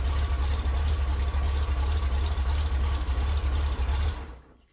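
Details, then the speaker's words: 1963 Chevrolet Corvair air-cooled six idling after oil change until oil pressure/temperature light goes off: deep even low thrum steady four seconds then shut off; healthy idle. "Okay, now that I've run it and the temperature and pressure light has gone off, I'm going to check the oil again, and I'll have to add what's left."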